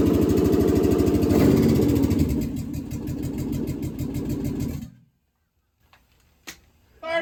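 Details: Budget Marketplace 6.0L LS V8 on an engine stand with standalone harness, first fire-up: steady, even rumble with lumpy beat for several seconds, then shut down; started first try and ran cleanly, oil pressure unverified, a little smoke; normal running.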